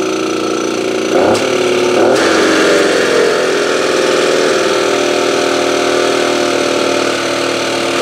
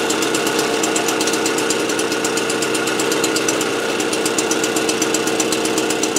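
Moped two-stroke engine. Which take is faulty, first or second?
first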